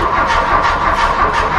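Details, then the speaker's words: 1985 VW Scirocco Mk2 with CIS fuel injection, first start attempt after about 17 years idle, new battery: steady starter whir, pulse about three per second, no firing; no fuel pressure reaching injectors, bad fuel hose found. "I didn't get to start without fuel pressure. It's not getting to our injectors."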